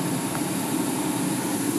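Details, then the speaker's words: New 1 kW steam turbine at 10,000 rpm on 120 psi steam, damped so the bricks and plywood stop acting as a speaker. Constant steam hiss over a steady hum from a slightly unbalanced rotor and steam leaking past bearings that have no seals yet. "that the turban is very quiet and once it's balanced better and seals in it'll be quieter still"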